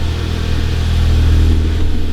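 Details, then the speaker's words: 2011 VW GTI Mk6 started after siphoning out old gas and refilling. The pump primed, and the engine had been misfiring badly with the check engine light on from the bad gas. Now a deep, smooth, even hum with no misses: a normal, clean idle. "Start. Ooh, that sounds good. That sounds way better."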